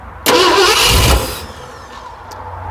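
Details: 1969 Ford F100, carburetor leaking fuel through the butterfly shaft: a loud burst of cranking for about a second that dies away without catching or idling. Cranks but won't start; timing suspected, possibly the pin again, not confirmed.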